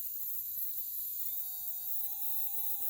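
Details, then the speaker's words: Schaper Stomper gen 1 4x4 toy motor bench-run after a drop of oil: thin steady whine settling at one pitch, no grinding or rattle; motor good, only the light needs replacing. "motor's good, but our light isn't, so unfortunately we're going to have to replace the light, which is good."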